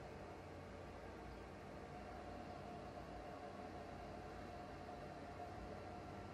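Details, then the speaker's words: Used PS4 Pro running with no disc, before cleaning and thermal paste replacement: steady loud rushing whoosh from the fan with a little hard drive noise; far too loud, cause unconfirmed. "just the fan, I guess. A little bit of the hard drive. Way too loud."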